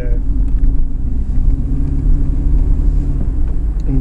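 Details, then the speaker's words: Volvo 240 2.3 petrol non-turbo at idle after replacing worn plugs, wires, distributor cap and rotor: steady low idle, even unbroken rumble with no misses or stumbles; runs great. "But this is nice. It runs great."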